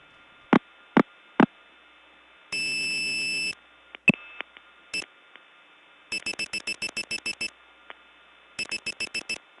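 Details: Early-1979 Gainesville, GA step tandem mapping, test code 106: clicks, a second-long buzzy tone, then fast beep trains on quiet hum; unidentified and broken, hard to get off of.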